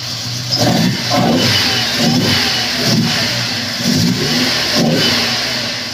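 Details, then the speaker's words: Honda S2000 after melted number-one coil pack; second startup, crisp throttle blips rise and fall cleanly then settle to an even idle, no stumble or misfire; much better than rough first start; normal revving. "it sounds much better that first start was a little rough the second started sounds a lot better"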